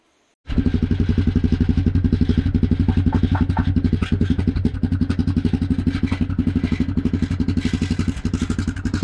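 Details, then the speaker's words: Yamaha Grizzly 660 ATV idling: steady single-cylinder beat with a tinny clatter on each pulse from a loose broken baffle rattling inside the exhaust muffler; owner plans to pull the end cap and baffle and fish out the loose piece with a magnet. "There is something rattling around in here."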